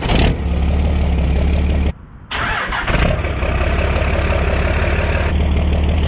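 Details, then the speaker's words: 12-valve diesel truck started after swapping out the VGT turbo: catches quickly after a brief crank, then a loud, even idle with a strong steady rumble; louder, the VGT had quieted it; healthy. "see that's the sound that i am used to that vtt really shuts this truck up that's awesome"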